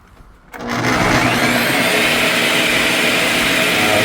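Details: Bosch 4100 table saw after fixing a seizing, locked-up motor bearing and installing new brushes: motor spins up quickly to a smooth, steady high whir with no grinding or catching. Normal motor running.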